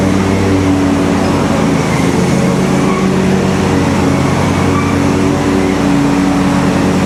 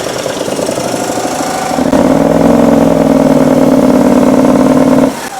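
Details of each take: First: Simplicity Stallion zero-turn's Kohler twin with new muffler installed: loud, steady, even drone with no misses; runs great, RPMs maybe a hair low, slight whooshing heard, leak-down planned to check for blown head gasket from back pressure. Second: Kohler engine on a Simplicity Stallion zero-turn, after head gaskets and carb work, refitted with its muffler: drones at flat pitch, then lugs and drops off, zero power, unlike its test run without muffler; low power traced to faulty muffler.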